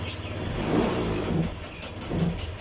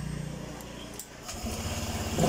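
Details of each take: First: Honda Vario 125, fairly new, suddenly sputtering; scanner shows no fault codes, idle reset done, spark plug next suspected: revs surge and sag in uneven bursts about every second under throttle. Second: Honda Vario 125 LED scooter after repairing hard starting and stalling when throttled (no MIL code): small engine idles, then revs smoothly without stumbling or misfire; normal running after fix.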